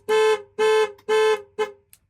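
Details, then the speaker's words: 2008 Dodge Ram after programming a new key: remote lock, unlock and panic give three clean, even horn toots about half a second apart, then a short fourth; remote working properly. "we need to test the remote oh my god it works you guys hear that locked unlock unlock Panic"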